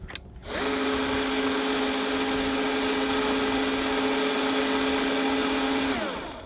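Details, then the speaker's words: Craftsman V20 CMCE600B cordless caulking gun with speed turned up from minimum, tube loaded: steady, even motor whine for about five seconds, then a clean auto-stop; normal drive. "Wow, that moves slow. Let's turn it up. Oh, there we go."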